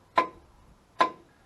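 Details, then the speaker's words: Pontoon boat outboard lower unit shifted into forward, propeller turned by hand: two crisp clicks a second apart, normal clutch dog ratcheting over its serrations; turns only clockwise. "you should hear a click there you go hear that that's the clutch dog clicking through its little serrated pieces"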